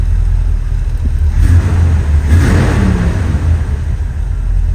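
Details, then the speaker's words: Warm car, about 190–195°F, with remanufactured original Quadrajet 1708 carburetor: quick throttle blip from about 700 rpm rises smoothly with no hesitation, then drops cleanly back to about 800 rpm and settles. "no hesitation went back to about 8 and it settles"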